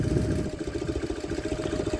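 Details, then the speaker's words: 1999 BMW R1100R 1085cc opposed-twin motorcycle on center stand; even twin-cylinder idle just after start, with faint steady droning hum from the fuel pump underneath, running healthy. "pumping fuel into the engine. That's that droning noise coming from."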